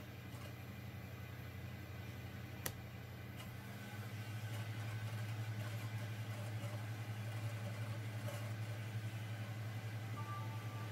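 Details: Xbox 360 disc drive after repair of stuck, grinding tray: low steady hum rises as disc spins up around 4 s and stays even with no clicking or grinding; reading the game normally.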